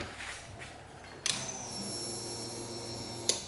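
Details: Turbo Mitsubishi Mirage dune buggy with a newly installed AEM 50-1200 E85 fuel pump, fuse upgraded from 3 A to 10 A, before starting. A sharp click, then a faint steady high whine for about two seconds that cuts off. Normal fuel pump priming.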